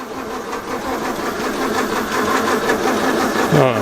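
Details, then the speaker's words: 1932 Morris Minor four-cylinder sidevalve, last on the road early 1970s, 6V battery, fuel added by funnel: the starter churns at a steady pace with no firing at all; cranks but won't start, owner suspects flooding and will remove the plugs. "just okay give it a rest for a minute maybe maybe it's a bit flooded so I think we'll take the plugs out"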